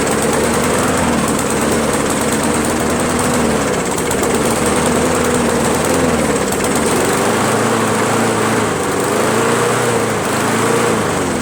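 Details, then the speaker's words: Free Craftsman push mower, 158cc Briggs engine, after carburettor cleaning: starts and first ran great, now runs poorly with an uneven, hunting beat and wavering pitch. Owner perplexed, cause not confirmed. "I'm a little perplexed as to why it ran so good in the beginning and then now all of a sudden it doesn't run that well you know it's a poor running engine now while it starts"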